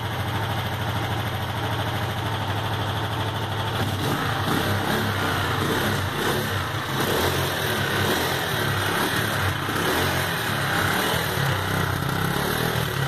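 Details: Sundown MAX 125 motorcycle after a top-end rebuild to cure a loud engine noise: steady idle, then smooth revs rising and falling with no ticking from the top end; valve noise gone, engine sounds healthy.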